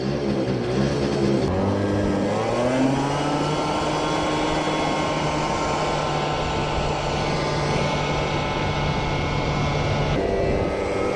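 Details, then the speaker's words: CPI scooter after fitting 62 jet: revs climb smoothly and hold a steady buzz with no sputter at speed; jet seems good, normal running. "now it went pretty well it didn't sputter any more so the jet seems good"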